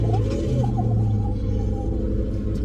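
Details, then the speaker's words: 1996 car with 4.6-litre V8 at 114,000 miles, at donation auction, started: deep steady low rumble with no misses, knocks or rattles; even, healthy idle. "Berhasil dinyalakan. Dan suaranya terdengar sehat."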